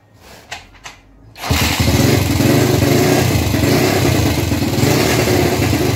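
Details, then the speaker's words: Gilera 150 Super Sport with an adapted Honda AX 100 carburetor, timing advanced a little, jet and needle untouched; after a few attempts it catches into an even, lively idle about four beats a second, not flooded, running well. "pero escucharon como andaba la verdad me sorprende cómo anda este carbón citó así de una sin tocar nada ni chicle ni altura de aguja aguja en nada responden muy bien no la siento ahogada"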